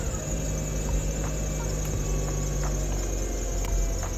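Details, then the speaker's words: 2004 Mercedes-Benz C230 Kompressor, just bought from Copart, on a cold start. A thin squealing chirp rides over a rough, stumbling idle with a low rumble. Slipping serpentine belt squeal. "oh Lord got a belts wheel that's neighbor's gonna love that"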